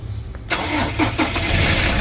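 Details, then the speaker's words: Ford Ranger XL 6-speed with a no-start on the key: the starter is powered by a direct wire from the solenoid to positive, gives a brief whir and the engine catches at once into a steady idle. The starter is fine; the fault is suspected in the fuse/junction box line. "umandar siya ibig sabihin walang problema si starter mga katropa"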